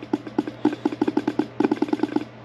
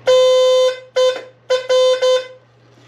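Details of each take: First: 1982 Fiat 124 Spider horn, reassembled and bench-powered from a power supply: quick bursts of dull rattling buzz with no real horn note; rusted diaphragm flutters but the horn won't sound. Failed horn diaphragm. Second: 1982 Fiat 124 Spider horn, previously not working, tested with key on after power wire attached and ground wire run to grounding pod; several loud clear honks of varying length at steady full strength; horn now works properly.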